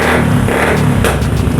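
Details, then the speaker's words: Old carbureted Honda Vario 110 scooter running and revving smoothly without misfire after the automatic starter switch was replaced; it had stalled and would not start, the problem being a weak battery. "teman-teman Bisa denger ya motornya sudah hidup ya jadi permasalahannya disini teman-temannya untuk motor ini adalah aki yang lemah Ya"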